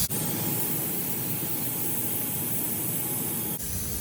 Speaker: so we got to get that freeze protection off and then we will tighten the packing up okay you can hear the steam flowing through the package